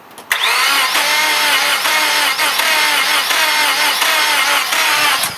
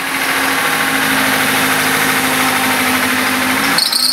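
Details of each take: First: Car sat about a year through a freezing winter; its 5-year-old battery, once at 0.75 V, was revived by charge/discharge cycles. Starter spins the engine in two long bursts at roughly 140 rpm with no firing: cranks but won't start. Cause unconfirmed. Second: Car sat almost a year; its 5-year-old battery, once at 0.75 V, was revived by charge/discharge cycles. Steady, even idle with constant hum, no misses, knocks or hunting: engine runs smoothly after starting.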